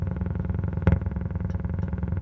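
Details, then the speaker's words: Hulk pinball machine on first power-up with new Pascal all-in-one board and original sound board: low throbbing rumble pulsing several times a second, no clean sound; speaker seems to be the issue rather than the sound board, likely needs replacing. "yeah so that speaker's not all that happy"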